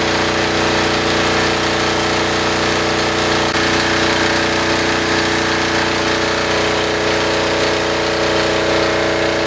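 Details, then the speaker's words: Military diesel generator running with spark arrestor removed, which had caused heavy back pressure, bogging and crackling; now an even, strong beat with no bogging or crackle; normal running. "Take a listen at how good this thing starts up without that."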